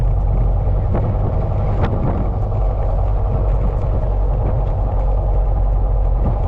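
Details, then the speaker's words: Honda K20 sedan with a brand-new engine, new Honda flywheel bolts, clutch checked: a smooth, steady low drivetrain rumble in gear with no rotating whine or rubbing from the bell housing; the earlier noise is gone. "Noise that was right here, I don't hear it anymore. It was right here where that noise was coming from."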